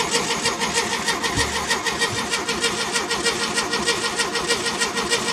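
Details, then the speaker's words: 1969 VW Beetle, stored and unrun for over 25 years, with a new battery and fuel fed in, in neutral. Steady, even starter churning, about a turn and a half per second, never catching; no spark seen and the oil light stays on. "We have spark in there? I don't see any I don't see any spark. That's really slow fuel."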